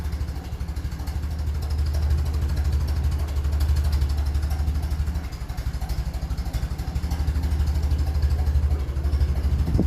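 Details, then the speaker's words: 1957 Ferguson 35 TVO tractor at low tickover around 400 rpm, brought down from 800, after a water distribution plate repair: slow, even chug of about three beats a second, deep and steady with no knock or miss; normal low idle. "still sitting about 400 streets that's low that's a low takeover"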